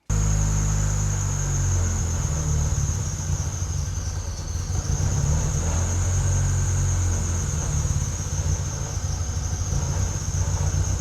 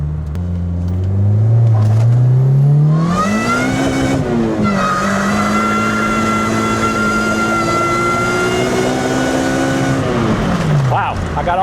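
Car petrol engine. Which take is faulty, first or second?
first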